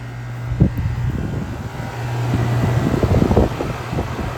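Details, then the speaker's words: Rheem heat pump outdoor unit just after compressor and defrost control board replacement and a tripped-breaker reset, with the refrigerant charge still being topped up: a steady low hum and even fan whoosh under wind buffeting. Normal running. "all right let's find a break all let's try this [Music] again that sounds better"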